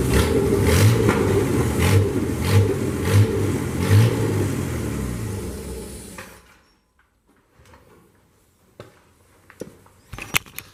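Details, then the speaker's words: Newly hand-built engine for a 1976 Chevy, bored .040 over with full roller cam, roller rockers and hydraulic roller lifters, test run before install: fires and runs with even steady beat, no knocks, then killed by pulling a wire and spins down; healthy. "There you have it, guys. Fired right up. Run like a champ. Sounded healthy. Sounded good."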